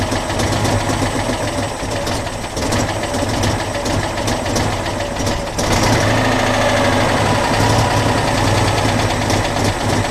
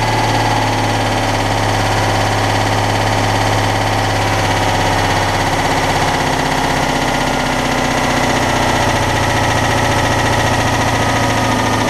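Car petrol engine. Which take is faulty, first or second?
first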